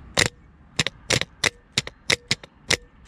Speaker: ça le clac que tu entends je laisse tomber les cramer fille sort mais tombe pas